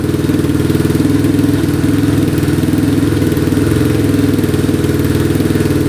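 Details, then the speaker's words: Yamaha Warrior 350 quad, bought non-running, still smoking a little: single-cylinder steady even thump about four pulses a second, starts right up, no knocking; runs fine. "Alright, she's running pretty good. Starts right up. Engine sounds good, no knocking."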